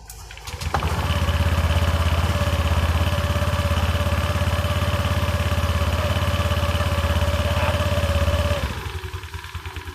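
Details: Honda Click 125i (LED headlight, ACG starter) after its worn plastic slide pieces were replaced, a 3-piece CVT set: it starts and idles unrevved with the belt cover off, a smooth steady hum with no belt-drive rattle, quieter than before.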